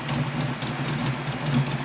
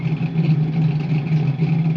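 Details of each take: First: Ford Mustang Foxbody cam motor after correcting wrong MAF, IAC plugged back in: steady even idle at 900 RPM, smooth low hum, no stumbles or misses; smoothest idle yet. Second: Fox-body Mustang with swapped MAF and ECU: low idle swelling and sagging in a slow repeating wave without stalling; hunting idle, owner suspects MAF not calibrated to injectors.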